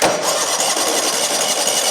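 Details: 2003 eXmark zero-turn mower, abandoned and not run for years, tried on the key after an earlier run: steady starter whirr, engine turns over evenly but never catches, then cuts off; cranks but won't fire; clogged carburettor jets suspected.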